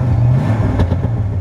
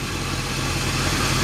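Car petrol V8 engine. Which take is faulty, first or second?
second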